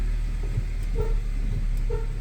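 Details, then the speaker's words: 2007–2013 Nissan Sentra reversing and braking: two short, mid-pitched squeaks rise over a low engine idle, with occasional clunks side to side and squeaks over bumps, diagnosed as worn subframe bushings. "let's go ahead and start the vehicle put it in reverse and you'll probably hear a little bit of a squeak"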